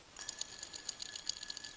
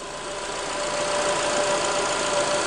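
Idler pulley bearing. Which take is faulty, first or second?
first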